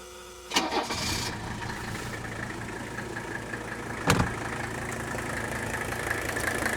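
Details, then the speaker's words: Mercedes W126 300SD diesel, 156,000 miles, engine possibly factory-remanufactured: a short crank, then it catches and settles into an even, steady idle with no knocks or misses. Healthy engine, though motor mounts are tired. "if you get around these visas you can tell this has a healthy note to it obviously the motor mounts are little tired"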